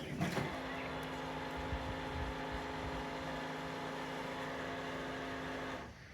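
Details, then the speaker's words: 2001 C5 Chevy Corvette passenger-side pop-up headlight motor, heard while lights retract: quiet whirr with rough gritty grinding edge; stripping gear in headlight motor, fixed with gear replacement kit. "So we need to fix that. And from what I am to understand, that basically is from a gear that is stripping in the headlight motor, and I have a new replacement kit for that."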